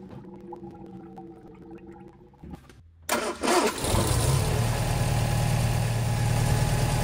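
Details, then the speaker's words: Sunbeam Alpine Series IV, Borg Warner automatic, after water pump replacement and coolant refill: starter catches within a second, smooth, even idle with no knocks or squeal; pulley now stays in place. Normal start and idle. "sounds a whole lot better, and you can see the water pump pulley is staying in place now."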